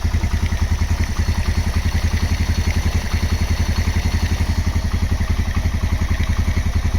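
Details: Honda GL Max Neotech engine after restoration/rebuild: steady even idle putter about three and a half firing pulses a second, no knocks or rattles; normal idle.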